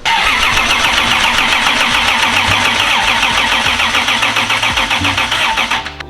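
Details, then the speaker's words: 2JZ-swapped FRS mystery project on first start attempts: fast uneven cranking with deep, dull pops coughing back through the intake; electrical ignition timing well off, checking with timing light. "Pops in the intake like little like deep deep ones so we're not super in there taking out the timing light"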